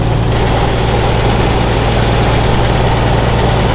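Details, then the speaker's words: Misfire at idle, improving from two cylinders missing to one: a heavy, uneven idle rumble with an irregular loping pulse about three a second as a cylinder drops in and out. "Missing on two before, now it's only missing on one. That noise sounds familiar."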